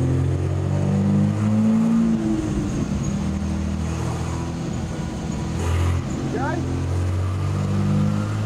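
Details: 1964 Ford flatbed with turbocharged Ford 300 six-cylinder on a chassis dyno full pull, 10 psi boost, lean fuel trims, about 5.87 rear gear: strong, even drone climbing steadily in pitch, no knocks or misses; healthy engine.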